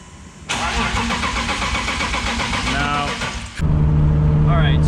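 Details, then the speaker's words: Boosted BMW E36 on jump box after sensor replacement: starter spins engine at even cranking beat about three seconds with no firing; cranks but won't start, no RPM signal, new sensor didn't fix it. "clearly that sensor didn't fix the problem i have no idea what the problem is i have no idea why no we don't have rpm signal"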